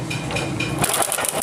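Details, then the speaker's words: Honda CD70 kicked over: dry metallic clatter from a very loose timing chain; tensioner rod failed, sprocket teeth worn away; bike had stalled while riding; chain to be replaced, possible valve damage. "Tension rod बिल्कुल खराब हो चुका है जिसकी वजह से timing चैन की गोटें cut चुकी है"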